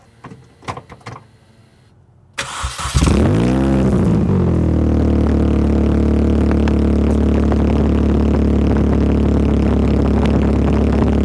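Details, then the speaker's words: Mini Cooper S R53 with the Borla cat-back exhaust removed: engine cranks, catches and settles into a loud, deep, booming idle with a blip of revs. "it'll be pretty loud because you got this resonator this one and that one so got to see how that sounds first"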